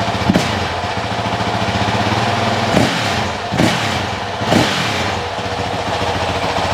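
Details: Honda CRF450X 2023 with only a thermostat delete kit, just fitted with a Vortex ECU on the stock-exhaust map (map 5): even, crisp single-cylinder idle with quick throttle blips that rise and settle cleanly; normal idle and revving.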